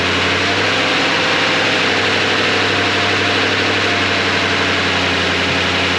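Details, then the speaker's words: 2007 Toyota Tundra V8 first start after secondary air injection pump, valve and inlet replacement: steady, even idle with smooth low rumble, no knocks, misses or ticking, idle not too high; normal idle. "all right sounds good nothing went bang it's not too high of an idle well it's not too high of an idle"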